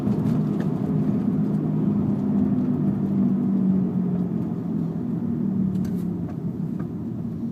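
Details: VW Jetta at steady driving speed: low droning hum over tyre and road rumble; owner suspects a bad rear passenger-side wheel bearing, not confirmed.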